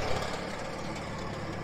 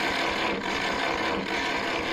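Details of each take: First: International 424 tractor after rescue and first start, on trailer with brush hog attached: low, even engine putter with steady beat, no knocks or misses; runs well, normal idle. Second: International 424 tractor, neglected rescue with broken solenoid and choke not working, coil hooked up: steady starter cranking about four pulses a second that never catches, then stops; no spark reaching plugs.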